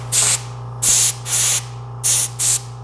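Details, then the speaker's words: Doyle Garage Air-N-Vac Station compressor blowgun giving momentary air blasts; five short sharp hisses starting and stopping cleanly over a steady compressor hum: normal blowgun air blast. "going to get momentary blasts of air for doing things like blowing off and that sort of thing. It's going to be a momentary impulse of air,"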